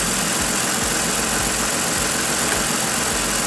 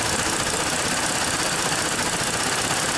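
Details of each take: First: 2014 Ford Explorer 3.5L after repair of a bank 2 camshaft correlation (P0019) and random misfire: smooth, steady idle with an even rhythm and no missing beats; no more misfire, though the mechanic suspects it may come back. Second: 2014 Ford Explorer 3.5L with check engine light, bank 2 cam/crank correlation (P0019) and random/cylinder 4 misfire codes, IDS reading 50: loud, uneven idle with a ragged, stumbling beat over a busy hiss from a stuck bank 2 exhaust cam phaser.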